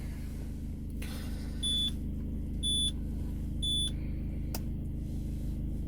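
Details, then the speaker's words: Peugeot 207 CC, engine started, roof button pressed: three short high beeps about a second apart over low idle hum as everything locks with retractable roof mechanism fault warning; roof fault warning. "Quand je démarre et j'appuie sur le toit, tout se bloque avec le voyant mécanisme de toit escamotable défaillant."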